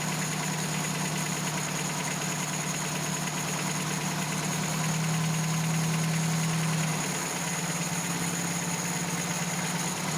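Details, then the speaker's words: 1987 Toyota pickup 22R carbureted four-cylinder after carburetor teardown and ultrasonic clean, previously would not idle: steady, even, smooth idle with no stumbling or hunting. "suffice it to say that I was able to get the idle mixture screw three and a half turns out like Toyota recommends I've got my base idle set at 750 RPMs but I'm probably going to turn that up just a little bit"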